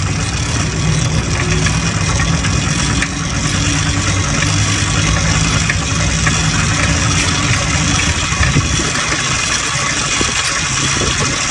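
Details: Restored motorized bike/moped two-stroke after clutch rebuild, new spark plug and carburetor work; steady even idle buzz with a light rattle over it, running cleanly, normal.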